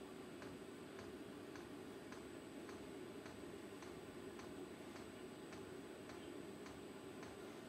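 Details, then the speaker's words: VEVOR kit diesel parking heater after priming, air still in lines though diesel seen arriving: dosing pump ticks lightly, evenly about twice a second in a quiet room during a start attempt; the heater then starts. "c'è ancora dell'aria nei circuiti nei tubi Ma io me ne sbatto il gasolio l'ho visto arrivare qua dentro per cui forse ce n'è pure troppo adesso farà una gran fumata"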